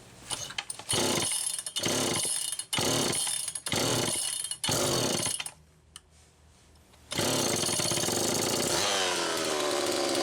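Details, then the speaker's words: Homelite Super EZ chainsaw test run after carburettor repair, high needle reset from about four turns out to one turn: revs in screaming bursts, hangs and surges at high speed; lean, crankshaft seal suspected bad. "okay it's easy to be deceived into thinking that it was good to go there that's part of why i ran it a little extra time that carburetor had a problem but i also believe that the crankshaft seal is bad"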